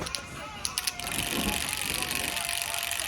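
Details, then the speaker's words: Sierra RS Cosworth 3-door ABS pump motor, tested with fresh fluid: small electric motor whines steadily with coarse mechanical ratcheting over it; this pump sounds all wrong compared with a normal-sounding one. "The pump we've been messing about with. It's all wrong, isn't it?"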